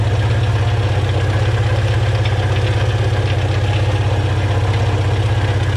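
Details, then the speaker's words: Volvo B20 engine started after years of sitting, with fresh fuel and new carburettor float bowl O-rings: a steady low idle with a slightly uneven pulse near four per second and a bit of exhaust smoke. Rough running. "all right that's enough i think woohoo not the healthiest of engines but it is running"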